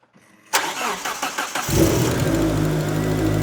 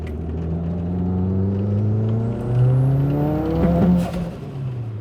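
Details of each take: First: 1995 Mitsubishi Eclipse GSX with green turbo, first start after install on totally stock tune set up for a mass airflow sensor (expected to run only about a minute): starter cranks briefly, catches cleanly, settles into even idle, no exhaust-leak ticking; normal start-up and idle. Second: 1995 Mitsubishi Eclipse GSX AWD with new green turbo and repaired wastegate flapper, boost settings from before: pulls hard with rising turbo whir, then sharp pops near the top as it overboosts; boost controller turned off.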